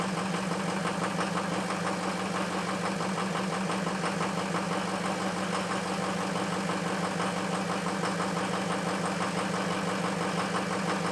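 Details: Ford F350 diesel cold start after a high-30s °F night: harsh, uneven knock about three a second at cold idle, stumbling from two bad injectors.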